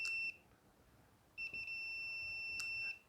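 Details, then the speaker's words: Multimeter continuity test of a John Deere LA145-type seat switch, button pressed: short steady high beep, then a longer one once pressed, switch closing properly. Continuity beep, switch good. "Switch is good. Okay, now let's go to the two center terminals."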